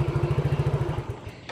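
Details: Injected automatic scooter that dies when moved, turned or jolted over rough roads: even single-cylinder thumping at about fourteen beats a second, then it cuts out abruptly after a second, stalling when disturbed; cause not found.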